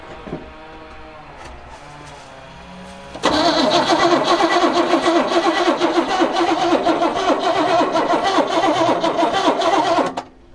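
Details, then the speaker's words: 1976 squarebody farm truck sat 20-30 years, after improving battery cable connection: starter spins the engine steadily for about seven seconds but it never fires, no fuel getting to it; rusty tank. "Okay, now let's do the wrong thing. Put some gas in it."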